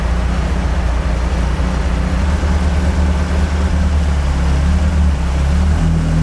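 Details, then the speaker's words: Carbureted AE86 build on a temporary throttle setup: a deep, steady drone building slightly under throttle, with no stumble or misfire. It is now running cleanly, and the owner concludes the Weber carbs were the earlier problem. It is still slightly smoky, with a coolant leak. "So 56th time is the charm. It's definitely working. So it was the carbs that whole time."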